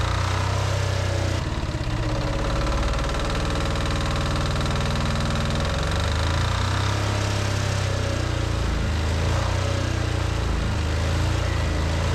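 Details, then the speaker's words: Shop air compressor powered by a generator after the swapped black and white wires were corrected for 240 volts: a loud, steady low pumping drone that holds speed without bogging; it now pumps properly. "And then I will turn the breaker on and we'll see if that actually pumps now. Way better. That's proper."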